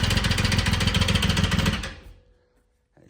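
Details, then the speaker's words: 2006 Triumph Rocket 3, started on jumper packs for a short test before dismantling. A loud, hard metallic knock at three to four per second over a rough idle, then shutdown; the knock is localized to the right-hand top end, cause unconfirmed. "It's going to be very loud and you're going to hear a very very loud metallic uh knocking at idle or a metallic I guess I guess you'd call it a knock."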